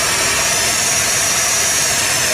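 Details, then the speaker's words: 1978 Dodge D100 after sitting almost 20 years, after distributor adjustment: steady, even idle with smooth hiss-heavy tone, no misses or stumbles; running and idling well, vacuum leaks suspected. "i can't believe this runs dude that blows perfectly it's idling so good"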